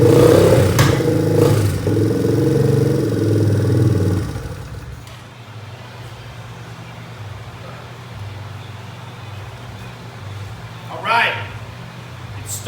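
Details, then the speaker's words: 1986 Yamaha Moto 4 four-wheeler that had sat in the woods for years: first start on a temporary speaker-wire positive cable. The single-cylinder engine revs strongly, then settles into a steady low idle with regular firing. Compression is good. "we got compression all right bud high five sounds like we've got ourselves some good four-wheeler it's compression"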